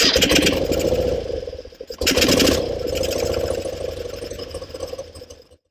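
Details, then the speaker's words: 1974 BMW R90S boxer-twin motorcycle after reinstalling a new engine breather valve whose flapper had been upside down and caused gobbling; it now fires up to an even, steady idle and shuts off with no gobbling. Normal idle, fix confirmed. "I don't hear any more problems. Now, I just got to take some time, clean everything up, start putting some things back together. I think that's taken care of."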